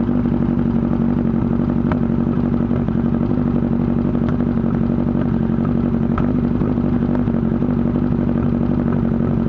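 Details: 1998 Yamaha R1 after an accident, idling with fast uneven knocking louder on the engine's right side and exhaust backfire pops; owner wonders cam chain, clutch basket or valves. Engine knocking, cause unknown.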